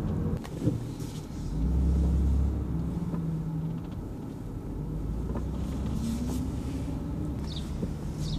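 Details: BMW F80 M3 with a creaking noise, driving with the windows lowered: steady road and engine rumble with wind and tyre noise and no creaking. Lowering the windows stops the creak.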